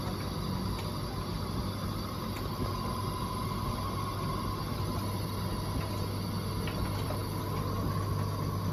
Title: Bosch Serie 4 WTN83200GB/01 making some strange noise